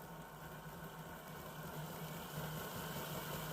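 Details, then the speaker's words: Bachmann Class 66 model locomotive, running slowly in either direction: quiet, low buzzing growl at roughly three pulses a second, quieting somewhat as speed rises; motor growl. "So it is quite noisy, and then as you speed up, it does sort of quiet down a little bit."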